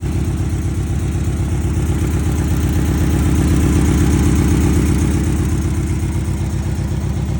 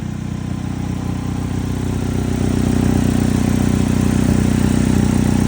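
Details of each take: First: 2006 Chevy HHR four-cylinder petrol engine idling with steady rhythmic stumble, about four beats a second; code P0301, cylinder 1 misfire. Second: 2006 Chevy HHR with P0301 cylinder 1 misfire code: steady, even idle with a smooth, regular beat and no stumble or skip; engine running normally.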